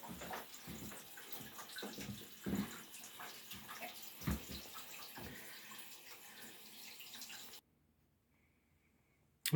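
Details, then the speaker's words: Toilet tank refill after the fill valve's muffler failed: rushing, hissing water with gurgling pulses, louder than normal. "last night at four in the morning or um muffler on our toilet quit working so i'm gonna have to that'll be today's project to fix that um so here's what it sounds like without the muffler"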